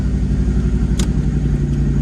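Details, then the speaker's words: Ford Ranger with 5.0 V8 turbo swap on E85, exhaust leak noted, setting off on first drive: steady even low V8 rumble, smooth pulse, no knocks or clatter, clutch no longer dragging; normal running. "This thing sounds it sounds like a brand new unit now, because it's not freaking, the clutch isn't just dragging and doing a bunch of crazy stuff."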